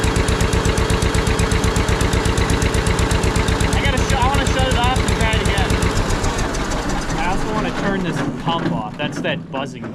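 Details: Barn-find John Deere 630 tractor, first start at about half throttle with a little choke: steady, even firing with a constant buzz on top; electric fuel pump running and audible.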